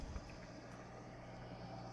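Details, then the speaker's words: 6040 CNC, 1,500 W water-cooled spindle, coolant of windshield washer fluid and distilled water, pump just switched on: soft steady low hum, no knocks or rattles, bubbles passing through lines; coolant pump circulating quietly, normal. "I see the lines going through the spindle he's nice and quiet see some bubbles going through and I can hear the hum every slight hum in the background"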